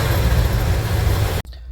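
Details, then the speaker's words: Van engine running for the first time after work, fuel system still to be sorted: deep fairly even V8 idle rumble, steady low beat, no knocking or tapping; running healthy. "Have a running engine people. [Music] Now we got to uh this fuel thing doing it. Yeah, sounds good."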